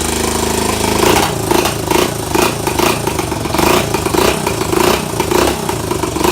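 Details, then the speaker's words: Pit bike single-cylinder engine with a carburetor not made for that bike, first start after reassembly: crisp quick revs rising and returning cleanly to idle; good throttle response; normal running and revving. "so it has a good throttle response uh chime honestly really surprised that the size of the carburetor because it this carburetor was not made for that bike"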